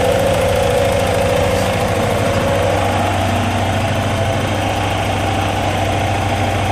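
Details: Porsche 944S, which lost power and cut out at 5500 rpm on a 2-3 shift and then would not start: a steady, even idle with a smooth low thrum and no misses, knocks or stumbles.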